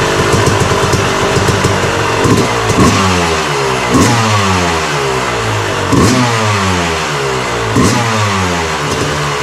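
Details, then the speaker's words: Yamaha YZ250 two-stroke after fresh top end rebuild (new Wiseco piston) at 74 hours, kick-started: crisp blips rising and falling cleanly, no rattle or misfire; normal revving. "i just had it outside um kicked it over got it going fire it up now"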